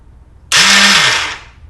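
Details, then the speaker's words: 2006 Kawasaki ZX-6R project bike, not running, new battery, fresh oil, in neutral: high free-spinning whir for about a second with no engine turnover, then winds down; starter suspected spinning without extending to engage. "Sounds like the starter's not engaging. Starter's turning, but it's not extending. That's what it sounds like."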